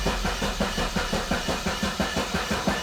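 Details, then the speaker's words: $500 barn-find Mazda Miata cranked after the main fuse was replaced: steady starter cranking with no firing at all. Suspected bad old gas; no fuel is being delivered, so the fuel pump is checked next. Crank, no start. "next step would be to check and see if we have spark and then it's see if we have fuel yeah it's probably bad gas too"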